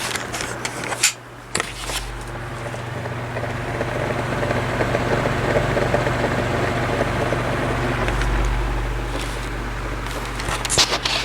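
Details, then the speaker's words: 12-inch oscillating desk fan on low speed, before repair: a steady hum with a faint, uneven rattle from worn thrust washers and dry steel bearings. It ran quiet after lubrication and new thrust washers. "this also has a little bit of a sound to it like a rattling noise on low which which it probably won't do now because we have the camera on yeah it's doing it"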